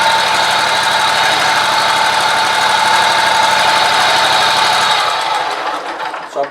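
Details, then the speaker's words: Scag mower running, loud steady high whine and rough rattling racket started about four days ago; owner suspects a deck idler pulley, as light pressure on it worsens the noise, unless the belt is bad: failing idler pulley bearing. "it has to do with this islur pulley there but I'm not sure because soon as you put a little pressure on there makes a lot of racket unless the belt itself is bad but we'll find out once it pull that belt off"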